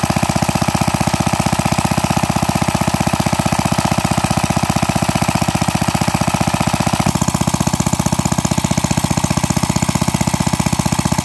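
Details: Pre-WWII Briggs & Stratton model WM, rebuilt with a 0.010" oversize bore and NOS piston and rings, breaking in after about an hour's running: crisp, evenly spaced single-cylinder firing with no knocks or rattles. Healthy, normal running.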